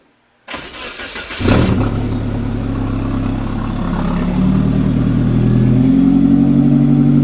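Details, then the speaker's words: Suzuki Samurai after plugs were re-gapped to .032 and a new muffler was fitted, with a cut vacuum hose plugged by a bolt (slight vacuum leak). Short crank, catches cleanly, steady idle creeping up slightly, raspy tone. Normal start and idle. "I do have a slight vacuum leak I have that hose cut and I just put a bolt in it to seal it off so we don't have a great seal but uh definitely got that uh ricey tone to it"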